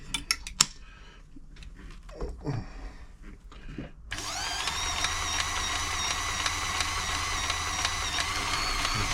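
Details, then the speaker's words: Frister & Rossmann 904 sewing machine (mechanical cams and followers) running on stretch stitch after oiling: quick light tapping about three per second over motor whir; tapping comes from the stretch-stitch setting. "that tapping nois is when it's on a stretch Stitch"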